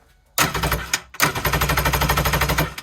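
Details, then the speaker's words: 1986 Kawasaki X2 two-stroke jet ski, unstarted for about 35 years, no fuel in it, two-stroke oil squirted into cylinders, original spark plugs; two short cranking bursts of quick even chuffing as it spins freely with no firing; normal cranking, oil starting to prime. "there's no fuel in there right now I just want to see how everything works if this thing actually turns over or not"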